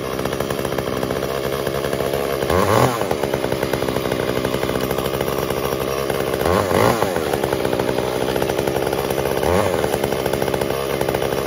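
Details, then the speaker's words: Echo CS-345 chainsaw cutting wood before carb adjustment: screaming two-stroke sags and labours each time the chain bites, pitch dropping under load; bogs down from a slightly lean high-speed (H screw) mixture, later fixed by richening 1/8 turn. "so we can hear there it's starting to bog down really when you start to get the saw that chain right into the wood okay so what i think is happening is that this saw is set slightly to lean"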